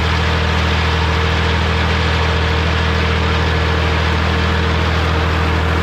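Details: Morra F25-6 disc mower on a tractor, test run after repair (it had a pod bearing failure the year before and is down again). Steady, even low drone from the tractor and spinning discs with no knocking or metal clatter; runs smooth and healthy.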